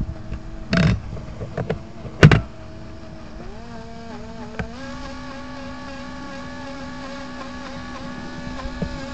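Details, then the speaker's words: FT012 RC boat, started at end of a run and now constant; set screws, prop, shaft, water flow checked fine, owner suspects the motor; electric whine steps up twice and holds high but boat barely accelerates, motor revs high with poor acceleration. "all right I've been having problems with my ft012 RPMs go crazy but the bolt goes nowhere nothing is slipping"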